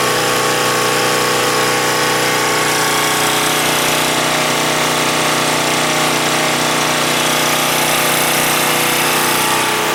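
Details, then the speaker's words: Husky 1850W generator (about 5 hp) with Mikuni T3044 carburetor converted to natural gas, mixture about right; steady buzzing drone at constant pitch with no surging or hunting, running better than on gasoline. "and it's running better than on gasoline"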